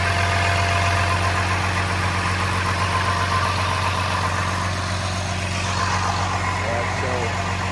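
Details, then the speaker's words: First start of a transplanted DT360 diesel with AT545 transmission, in neutral, after priming the fuel and bleeding an injector line: steady low rumble with even firing pulses at idle, no knocks, misses or rattles; normal idle, though loose battery-tray bolts vibrated. "Fairly happy with everything. Engine sounds good, but we're going to go ahead and turn it off, and it's a great feeling."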